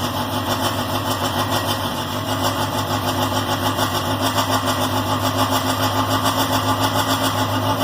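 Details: K24-swapped Honda Insight on a Speeduino ECU, first run after a valve adjustment, with full crank/cam sync: the engine catches and settles into an even, steady idle with no misses or backfires. The previous tick is gone, so it is running normally.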